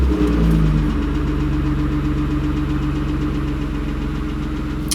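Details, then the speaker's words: BMW E36 after charging the battery, subwoofer left disconnected: quick crank catches at once and settles to a smooth even idle with a steady low hum, no misses or knocks; started absolutely fine, owner hoping the battery just needed charging. "So the car that turned on absolutely fine."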